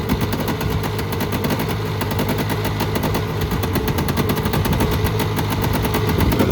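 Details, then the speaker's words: Polaris Trail Boss 350 two-stroke quad, revived after 15 years abandoned: ticking over with a fast, even popping beat at steady level, no misses, quiet and better than before; normal idle. "he's a ripper way better than it did it's quiet dude"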